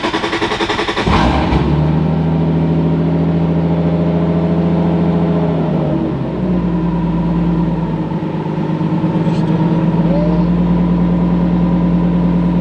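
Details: 2003 Nissan 350Z with 2JZ engine swap, warm, after reinstalling coil packs while chasing a single-cylinder misfire: engine cranks, catches and settles into a steady, even idle with no stumble or skipped beats; normal idle.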